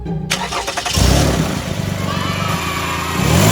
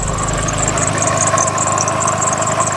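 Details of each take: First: Toyota RAV4 run with accessory belt removed to isolate a noise: engine starts and revs up and down cleanly, no squeal or rumble from the front, so a pulley is at fault; one pulley was found noisy with heavy wobble. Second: Toyota RAV4 cold start at idle: steady high chirping belt squeal with a duller whine, a mellow scream, beneath it; slipping belt.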